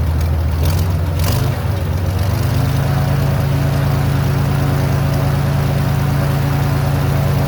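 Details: Airboat engine after carburetor base gasket fix: brief blip, then a deep, steady, even idle with no stumbling; some white smoke, owner suspects overfilled oil plus Marvel Mystery Oil.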